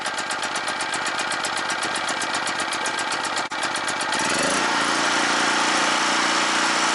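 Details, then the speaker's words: Scrapyard generator revival, choke on, unloaded: pulses about four a second as it catches, then settles into a smooth, quiet, even hum with no knocks; normal generator idle. "oh yeah oh it's nice and quiet"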